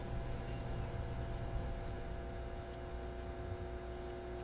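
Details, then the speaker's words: 1947 Philco 47-1230 record changer motor powered slowly on a variac: steady electrical hum with no rotation, humming badly; rotor stalled, a drive wheel appears out of position. "volts humming badly okay don't want to don't want to push that motor"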